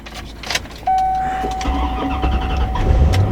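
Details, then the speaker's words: 1996 Chevrolet Corvette C4 coupe V8, about 64K miles: brief crank catching within a second into a deep, steady rumble with no stumbling; normal start. "boom she's up and running"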